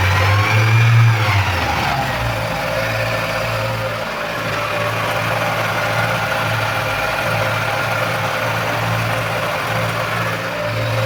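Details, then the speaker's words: Engine just after replacing the timing belt, tensioner bearings and V-belt with the marks aligned: it revs briefly, then settles to a steady, even idle with no ticking, squeal or rattle from the front. Running normally. "Evet şu anda Sistem çalışıyor Herhangi bir problem yok Allah'a şükür"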